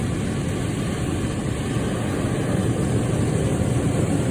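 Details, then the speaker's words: Camper rooftop heat pump with propane furnace backup, switched to furnace mode and set to 80 during a spring systems check: a steady airy rush over a low hum with no knocks, rattles or squeals, running normally. "okay so to test the heating and air system this is a heat pump with a gas propane furnace backup"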